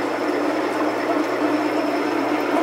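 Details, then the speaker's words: Metal lathe parting cut at 180 rpm: steady even cutting hiss with slight chatter and a little whine at the start; chatter comes from resonance tied to chuck overhang, tamed by adjusting feed and speed. "now you hear a little bit of chatter but that's not bad kind of a a little bit of a whining noise when it first started there"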